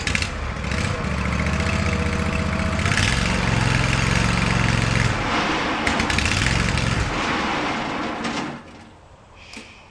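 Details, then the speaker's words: Swisher ZT2250 zero-turn mower, testing a new PTO switch: engine runs steadily about eight seconds, then drops off and dies when the blades are engaged. Maybe not the switch; a seat or control-arm safety switch problem is suspected, unconfirmed. "well that's interesting maybe not the switch then i wonder if we have a safety switch issue"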